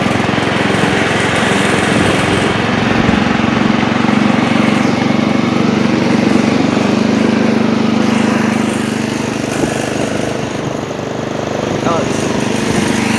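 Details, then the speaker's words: Old Montgomery Ward Power Kraft riding mower cutting with blade engaged, air filter off: loud, steady engine drone at even pitch, no misses or surging, after earlier stutters while driving; runs and mows well, healthy under load. "Well, there you have it. Runs and mows. It actually cuts pretty nice too."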